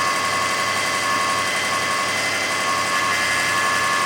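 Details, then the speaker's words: 2005 Kia Sedona 3.5L at 116,000, after new timing belt, tensioners, idler, water pump and balancer, no accessory belts fitted: steady high-pitched whine over warm idle, absent at cold start, fades with higher rpm then returns; source unknown. "There's the noise. It'll get louder. There it is. There you have it. So it goes away when you bring the RPMs up, but then it comes right back."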